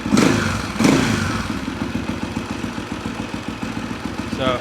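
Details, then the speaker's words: 1991 Husaberg 350 single-cylinder dirt bike after a slight air mixture screw adjustment that cured a throttle stumble. A couple of quick blips, then a steady, even idle without stumble or hunting. Normal idle. "That sounds pretty good. Sounds very responsive."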